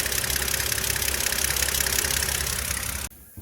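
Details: BMW N52 engine, parked about 2 years, knock louder when warm, VANOS fault limiting power: sharp regular ticking about three per second over idle; valve train knock, cause being investigated under valve cover.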